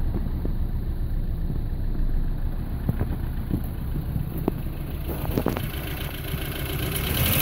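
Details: 1985 Toyota Starlet 1.0L 1E engine, all original parts: uneven, lumpy idle with irregular stumbles, then rising as it revs; engine misfire.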